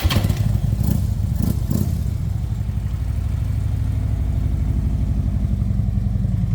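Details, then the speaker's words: 2012 Harley-Davidson TriGlide, 19,869 original miles, Vance and Hines exhaust with high-airflow and tune, started in neutral: starter catches and V-twin settles into steady, even, deep loping idle; healthy. "Let's go ahead and fire it up. We got it in neutral."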